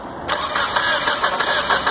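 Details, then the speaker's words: 1992 Geo Tracker with throttle body injection: starter spins the engine at a steady cranking rhythm but it never fires; it runs when fuel is poured in the throttle body, so ignition is good and fuel delivery is suspected. "that's good okay so that's our no star condition"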